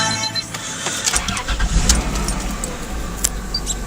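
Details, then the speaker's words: 1999 Dodge Caravan minivan, just over 190,000 miles, recorded from the driver's seat with the door open. Quick crank, then it catches and settles into a steady idle, no stumble or knock; starts like this cold or warm, no warning lights. "Starts up like that pretty much every time. Cold, warm, never gives me too much of an issue."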